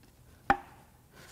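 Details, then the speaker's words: Bad 3.5 V6 EcoBoost from a front-wheel-drive Taurus SHO/Flex, during teardown with the block girdle off: rotating assembly turned by hand gives two sharp isolated metal clacks at each direction change. Loose rod bearings knocking, damage expected in every journal. "let's turn this over a little bit oh listen to the sounds every time they change direction they knock"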